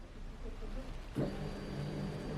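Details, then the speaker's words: Fuel pump activated via Thinkdiag2 OBD-II scanner engine actuation test: after a click, quiet steady low hum with faint high whine runs evenly; pump heard working: fuel pump running normally. "so I can hear that my fuel pump is working"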